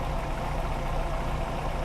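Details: Older VW Polo 1.4 petrol idling: low, steady idle rumble at an even pace with no ticking, knocking or stumble; the engine runs smoothly at rest.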